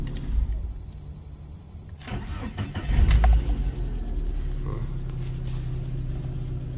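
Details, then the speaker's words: Lada Priora that wouldn't start on the street, immobilizer suspected of intermittently not reading the key: about a one-second crank catches cleanly and settles into a steady, even idle; normal start. "Оталды. Арасында кілтті оқымай қалып тұр."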